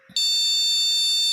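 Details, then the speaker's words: Motherboard with a buzzer speaker, powered on with the RAM removed: a shrill, continuous long beep repeating, this board's code for RAM not detected. "Ternyata, tanpa RAM terpasang, akan terdengar bunyi bip panjang yang berulang ."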